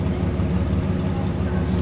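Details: GMC Jimmy (same as Blazer/S-10) with 4.3 Vortec V6 at idle, microphone near exhaust: uneven, lumpy low rumble with irregular beat; engine vibrates, runs rich with heavy fuel consumption, strong gas smell, check-engine light on.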